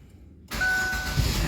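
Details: Chevrolet Aveo started via newly installed keyless start-stop button, clutch and brake pressed: silence, quick engine catch with brief chime, then even low idle rumble; normal start.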